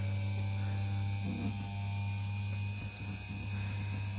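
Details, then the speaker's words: Philips hand mixer, freshly greased gearbox, lowest speed: quiet steady low motor hum, no grinding or rattle, speeding up as the grease settles; smooth even running. "you can see that as you hear it starts running faster faster so the grease is finding its place and this is as beautiful a sound as you can ever get out of these things"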